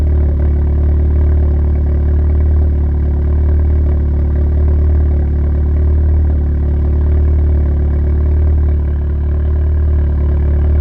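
Deep, loud idle with an uneven lope and occasional dips in the beat, the stumble of a cylinder misfiring at idle. Cause suspected, not confirmed.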